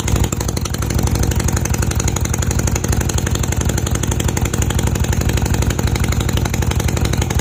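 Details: Honda CB250 Nighthawk idling after refitting the exhaust bracket to fix an exhaust leak, oil freshly changed; quick even putter about four pulses a second, no ticking or puffing from exhaust joints.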